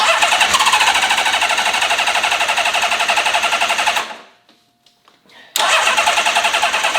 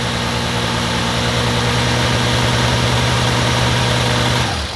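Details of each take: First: Honda CBX six-cylinder motorcycle's first start in 20 years after a full carb rebuild, with the vacuum system ignored. A raised, slightly uneven idle that is still clearing its throat, with a little smoke. The high idle comes from the carbs starving for fuel. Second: Rebuilt-carb Honda CBX six-cylinder, restarted after sitting a couple of weeks with a battery needing charge. A smooth, even hum holds steady with no misses or knocks. Once enough gasoline reached it, it runs normally.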